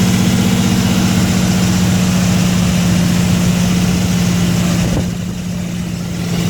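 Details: Nissan Skyline RB25DET Series 2 first cold start in 8 months, idling with low hum and rough uneven pulsing; unidentified noise disappears above 2,000 rpm.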